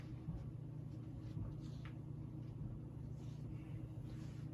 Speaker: yeah there's medium you can start to hear the bearings now it's definitely got a motorhome too otherwise it works fine